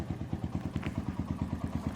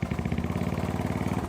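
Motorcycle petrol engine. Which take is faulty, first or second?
second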